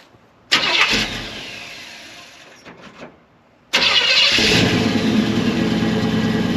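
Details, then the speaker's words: 1964 Chevelle V8 after changes made for track passes: cranks, fires and fades, restarts and settles to an even idle. Oil pressure and temperature are good, yet it runs lean and poorly; a carburetor secondary circuit fault is suspected. "Sounds good. I know. The whole pressure's good. temperature is good, oil pressure is good, it sounds great,"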